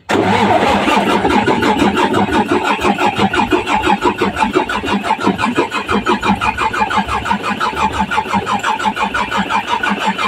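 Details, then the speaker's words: Mitsubishi 6M70 double-EGR diesel with hard-start problem, cranking after battery replacement and filter bleeding: steady rhythmic cranking about three beats a second for ten seconds, never catching; crank no start, low fuel rail pressure. "So yun. Ayaw talaga mga ka-racel. So try natin start ulit. Trorya. Ayaw talaga mga ka-raisel."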